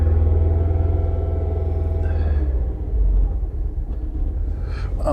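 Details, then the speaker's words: 2011 Mini Countryman after replacing both cam timing sensors (P0343/P0368), cleaning sooted plugs 1 and 4 and clearing codes: better, but low idle still stumbles unevenly; misfire live data points to cylinder 2, owner plans to clean plug 2. "Start it up. It's better."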